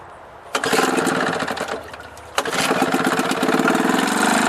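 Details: Old single-cylinder Johnson 2hp outboard after new piston rings, points adjustment, carburetor rebuild, head gasket and impeller; choked and previously run: pull start fires and buzzes, sags briefly, then settles into a crisp, fairly steady two-stroke rattle. Runs fine.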